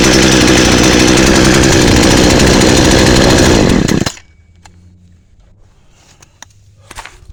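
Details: Chainsaw that had no spark, after repair for corroded magneto connector: crisp, even two-stroke buzz at steady high speed for about four seconds, then clean shutoff; saw firing properly again, normal running.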